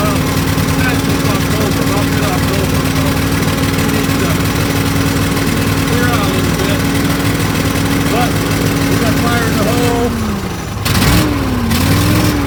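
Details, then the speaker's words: Argo ATV after winter storage, repaired with an upgraded carb (faulty accelerator pump) and a replaced bad unblown fuse that had cut the fuel solenoid. Settles into a smooth, even idle with steady hum, revs dip and recover cleanly; normal idle. "Oh, you don't know how good that sounds. Good God. It's been a It's been a trial and error ordeal the last few weeks trying to get this thing running."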